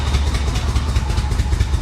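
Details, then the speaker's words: Flood-damaged Corvette revived: low, lumpy idle with uneven thumps, popping and occasional stumbles; suspected timing, fuel, dirty injectors or crossed plug wires, not confirmed. "yeah it sounds like a timing issue doesn't it I don't know could be fuel could be timing could be someone got the plug wires on wrong"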